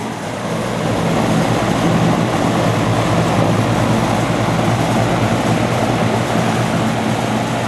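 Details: Vintage antique-store box fan with a spliced, poorly done replacement cord and an off/high/medium/low switch: a steady airy rush over a low even motor hum with no rattles or scraping; it runs normally.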